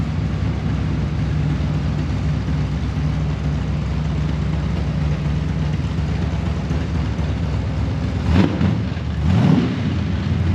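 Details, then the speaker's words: Holden LX Torana V8 barn find, already warmed up, exhaust temporarily dumped before the diff with tailpipes removed: steady deep idle, then two quick throttle blips rising and dropping cleanly; healthy. "So as you can hear, sounds killer, but the diff dumper thing, that's only temporary."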